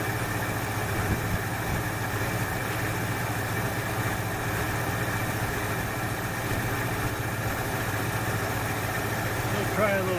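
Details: 1968 Ford Fairlane, flooding carb fixed: steady low, even idle rumble, no stumbling or misfire; sounds better after correcting a line that was hooked up backwards; a plug or two suspected fouled from rich running.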